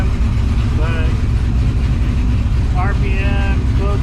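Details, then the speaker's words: Squarebody Chevy C10 V8 with new Holley Terminator X EFI on base tune, alternator charging: deep heavy rumble, loud steady choppy rowdy-cam lope, no knocks or misses, louder than before; normal lopey idle. "And if it's possible, it is louder than it used to be."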